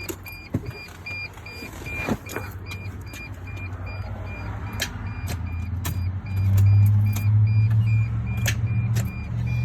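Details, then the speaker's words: 2003–2006 T1N Sprinter van that won't start; battery, alternator, solenoid, and starter are good: sharp dry relay/starter clicks a few times a second with the key held, but the engine never cranks; jiggling the shifter is one suggested fix. "all right so your relay's clicking you can hear your starters clicking okay"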